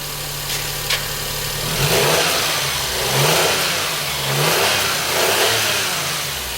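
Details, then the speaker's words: Perodua Kenari (Daihatsu Move) 1.0 three-cylinder fuel-injected engine, just after timing belt and tensioner replacement: revs rise and fall in smooth, even swells with no ticking, slapping or rattle. Healthy running, though one wrong long-reach spark plug was found. "okay there we go stuff we've got uh ticking over and sounding very nice exactly as it"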